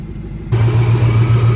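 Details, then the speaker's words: Supercharged engine build after an exhaust leak repair, running stock injectors that the owner suspects are starving it of fuel: it catches and settles into a steady, low, even hum, quieter, with the earlier thump no longer heard. "there you go fellas sounds a lot better the exhaust leak to my ears at least i'm not a trained professional with exhaust but to my to my knowledge it sounds a lot better um sounds a lot quieter i don't hear that loud ass like thump thump thump from here as much as i used to"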